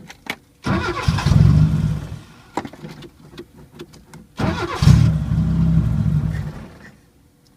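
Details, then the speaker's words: 1980 Chevy Luv, carbureted engine barely run in years, anti-dieseling solenoid reconnected, vacuum line plugged: two cranking bursts catch about a second and stumble out; hard start, no steady idle. Owner suspects air leak on fuel side, unsure. "i kind of have a feeling we're sucking air on the gas but maybe not"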